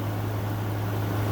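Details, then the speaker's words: 2014 Frigidaire 5000 BTU window AC, unused five years, cleaned, on high cool: low steady hum with soft air rush, no rattles or clicks; compressor quiet, air 52°F and dropping. "That is freezing cold. 52 and dropping. That compressor is really quiet."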